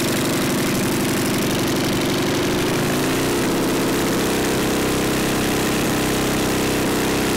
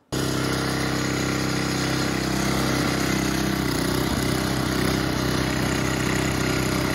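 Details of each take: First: Neglected older Craftsman snowblower, sat years in a shed, leaking fuel, electric start: single's rapid beat sags near three seconds, then runs unevenly, never steady; seems fuel-starved, carburetor passages possibly gummed, unconfirmed. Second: Older Sears Craftsman snowblower, neglected and left sitting for years in a shed, had been leaking fuel; now started by hand and ticking over at a steady, even idle with no misses or knocks: normal idle.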